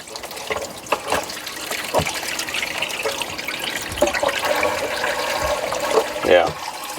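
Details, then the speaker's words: Hot tub plumbing with a fitting loosened during heater replacement on an aging tub: steady hiss and splash of water still gushing through; the old slice (gate) valve is not sealing or shutting off the flow. "can see that side's still gushing so that slice is just not holding very well"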